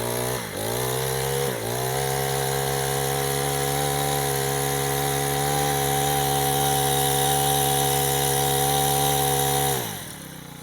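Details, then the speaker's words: Honda GX35 trimmer engine after cylinder sleeve rebuild (idle set about 1,000 rpm, no smoke): snaps up twice, holds a steady high-pitched drone at maximum rpm without surging or misfiring, returns cleanly; no abnormal noise. "รอบนะครับรอบสูงสุดในแล้วตัวนี้ฟังเสียงใกล้ๆนะไม่มีเสียงเขตเลยนะใช้งานได้ปกติเลยนะ"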